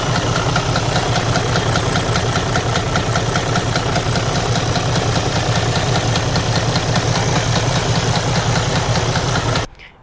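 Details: Mercedes/Detroit DD13 diesel idling with a damaged camshaft, running poorly; a loud, frightening heavy steady knock about two to three times a second from camshafts out of time.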